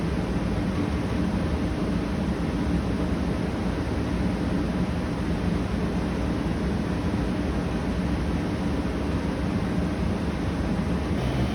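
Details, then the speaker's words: Arctic King 8,000 BTU/hr mobile air conditioner, compressor just kicked on, still warming up: steady even hum and rush of air with no knocking, rattling or squeal. Compressor runs normally and sounds good. "Gotta wait for it to warm up. It just kicked on. Compressor sounds good."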